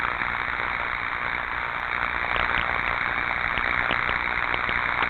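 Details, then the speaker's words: Likely 4160 V transformer, ultrasound recording: steady frying corona hiss broken by sharp irregular pops, a key giveaway of destructive tracking discharge with nitrates released, beyond plain corona. "hear that popping what did we say popping is associated with discharges so now this is you know i think this is a 4160 volt transformer there's gonna be corona but you got them pops that's a key giveaway"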